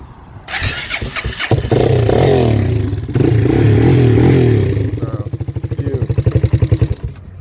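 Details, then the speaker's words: Kawasaki KFX400 single-cylinder idling, then the beat stutters and dies abruptly. It stalls instantly when rocked side to side but not front to back, and restarts. The carburetor was reportedly replaced already and wiggling wires changed nothing; owner suspects the float. "shake it side to side instantly shuts off fire right back up shake it front to back won't shut off"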